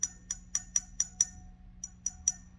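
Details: Fender Vibrolux Reverb amp being tapped with a chopstick for microphonics: crisp taps about four a second dying away cleanly with no ringing, crackle or hum; rectifier valve is fine.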